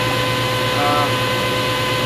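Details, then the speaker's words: 1990s Delta table saw on a homemade low-cost mobile base, standard V-belt, running with a nickel standing on it: steady even hum and clean constant whine, no knocks, wobble or rattle; normal smooth running. "Got my saw going. You can hear it. There's my nickel sitting there. So, yeah, it works."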